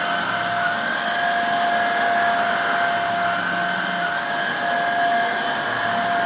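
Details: Refurbished Hoover Air Steerable vacuum after commutator polish and newer lower hose: steady, even motor hum with constant high whine and airflow rush, no rattles or surging; back to nearly new condition.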